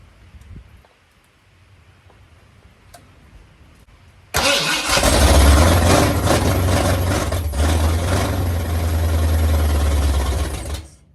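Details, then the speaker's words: Mildly built 351 Windsor swapped into 1980 Ford F-150, carbureted: steady cranking about three and a half turns a second, never catching; fuel pump suspected not delivering. "I'm wondering if my fuel pump put working I hope not let me stick something down that choke"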